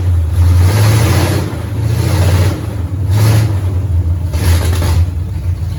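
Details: 1969 Pontiac GTO barn find with Grand Prix V8, TH400 and Quick Fuel 750cfm carb, after 17 years sitting; deep even rumble swelling with throttle blips, no misses or knocks, 14 volts charging, smoke off headers, some valve-cover blow-by. Normal running.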